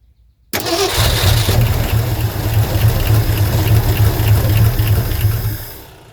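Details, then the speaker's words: 1972 Ford F350 Custom abandoned one-owner truck, big-block V8, four-speed, after the fuel line was refitted to backfill the pump: rapid cranking, about three beats a second, brief stumbles, never runs. Cranks but won't start; owner suspects fuel and choke, unconfirmed. "Oh, it's so close. Oh, it's so close."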